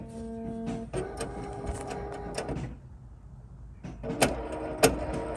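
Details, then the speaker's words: Chevy Suburban/Tahoe-type (2007-2013 GM) power liftgate with failing latch actuator: repeated sharp clicks before the gate eventually releases; fix is replacing the actuator latch. "hear it clicking and eventually comes open"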